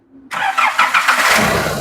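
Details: Nissan Navara D40 YD25 diesel, MAF sensor disconnected: catches quickly and settles into an even diesel clatter, no whistle or scraping from the turbo; clean, healthy start.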